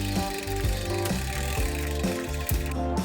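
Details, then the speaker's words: Santa Cruz Tallboy MTB retrofitted from SRAM 1x11 to Shimano 1x10 with 46-tooth cog using a Goat Link: rough rhythmic clacking about once a second in the granny gears, derailleur sitting too far forward, pointing oddly upward, after the Goat Link sheared mid-ride. "so here's what happened to my filthy muddy santa cruz tall boy during a ride last week as you can hear there is some hideous chattering in the granny gears you might say oh chatter don't matter oh but it does matter"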